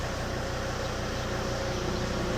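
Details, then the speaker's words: Volvo S80 D5 diesel right after EGR blanking and MAF cleaning, started after priming: steady, even diesel clatter at idle with no misses or hunting and little smoke. Normal idle. "That's it running."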